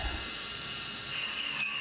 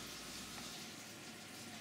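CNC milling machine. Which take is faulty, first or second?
first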